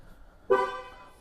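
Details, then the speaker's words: 2013 Ford Focus with ignition on while the scan tool talks to the BCM during fuel level circuit fault diagnosis: a short horn toot, then faint clicking under the dash as modules wake. This is normal behaviour. "the scan tool is just communicating i can hear the horn and clicking under the dash"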